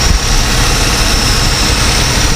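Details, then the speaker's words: Continental Mark III V8 run after 32 years sitting, idling with deep lumpy rumble and thin steady whine from power steering pump apparently a little low on fluid; carb just filled, oil pressure good. "Sounds like the power steering's a little low here. Hear the power steering pump whining."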